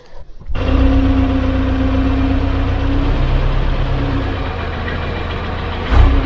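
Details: 12-ton six-wheel grader on a test run after fitting a new tandem drive chain tensioned to about 1.5 inches of play: deep, even diesel drone under load with no clanking, slapping or binding; chain stays on, normal drive operation.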